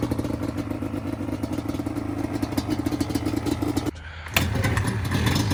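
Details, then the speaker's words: 2002 Yamaha Banshee two-stroke ATV during a tune-up: ragged, uneven popping with a brief stumble before picking up, sounds like an RC car; runs rough, apparently disliking the choke. "don't like to be choked. It sounds like an RC car."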